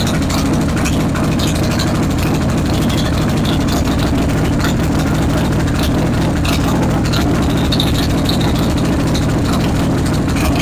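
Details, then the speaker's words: Harley-Davidson Road King idling after the repair, which cured the heavy vibration. A steady, lumpy V-twin idle with a puffing tick on each firing pulse remains. This is a front exhaust leak caused by the engine moving so much. "Not only that, it can cause other motor issues like we see here with the front exhaust leak from the motor moving so much."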